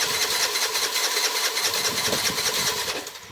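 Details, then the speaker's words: 2007 Piaggio MP3 scooter that ran when dropped off but no longer starts: a high whirring starter spin with even cranking pulses and no catch at all; cranks but won't start, and the spark plug is suspected next. "that doesn't sound like anything's going to fire there everything's getting into it is it"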